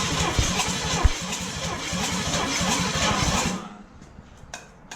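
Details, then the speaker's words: Junkyard Oldsmobile 350 V8 long left sitting, first start on engine stand with new fuel pump, plugs, wires, fresh oil, rebuilt carburetor: rough, uneven firing with sharp pops and a loud bang, then dies; carburetor backfire shooting a 4-foot flame. "I mean, it shot a 4-foot flame out the carburetor."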